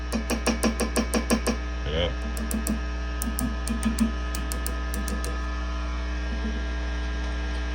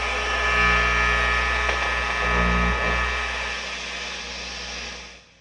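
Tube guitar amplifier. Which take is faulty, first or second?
first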